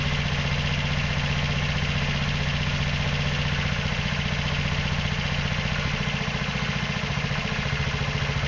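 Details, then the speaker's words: Hydrogen (hydroxy) fueled scooter engine, after cleaning fouled spark plug, drying gas through desiccant and using smaller injection and air intake tubing; even steady putter at idle, no misses; smooth idle with air-fuel ratio probably near right. "okay this time it seems like that it's probably has pretty close to the right air fuel ratio"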